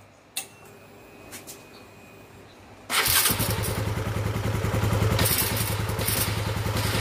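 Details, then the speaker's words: Honda CB150R after the starter motor was cleaned with sandpaper and reinstalled: brief clean crank, then the single-cylinder fires into a steady even beat with no grinding, where it was very rough and noisy before. Starter now working normally. "Alhamdulillah Jadi sebelumnya kan suaranya sangat kasar sekali seperti ada yang klip di dalam iman Ustad ternyata cuma motor"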